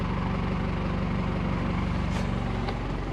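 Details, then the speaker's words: 1986 Toyota FJ60 once warmed up: a deep, even rumble at idle with a steady beat and no misses or knocks. It idles cleanly now, though the idle on first start had an unresolved problem. "so now we're a little warmed up and it's idling fine now. You can hear that nice rumble."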